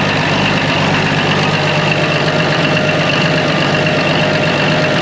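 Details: Old excavator abandoned for years, running on two new batteries: deep even diesel idle with steady low rumble, no misses or knocks; normal idle.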